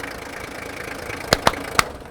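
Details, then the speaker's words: Toyota Landcruiser HJ45 with swapped-in customer-supplied 2H diesel and 5-speed, mic leaned in at engine: even, steady diesel clatter at idle, no knocks or misses, then clicks as it shuts off; running smooth. "Listen to that 2H. Ain't she a beauty? She's rolling away on me. The power, mate, the power. But it's just running smooth."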